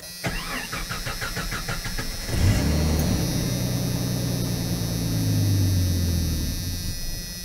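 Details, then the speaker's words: 1990 Jeep Comanche with ballast resistor unplugged: about two seconds of even cranking, catches, idles briefly, then fades and dies; resistor ruled out, fuel pump gets power only while cranking and loses it after start. "Notice that start and stall, and it does it the exact same way."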